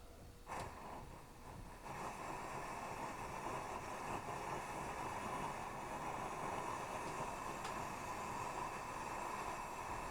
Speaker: The reason it's flaming is because it's shooting raw fuel, not vapor. So the preheating process goes on. It's going to get hot enough for the fuel to vaporize rather than shoot raw fuel.